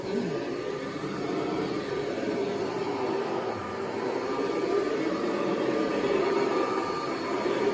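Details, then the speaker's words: 1982 Kirby Heritage 1 upright vacuum runs quite well, a steady whir with a faint rough flutter under the motor tone; the belt sounds worn and needs replacing, suspected belt noise. "actually runs quite well. So I am going to have to replace that belt though it sounds like."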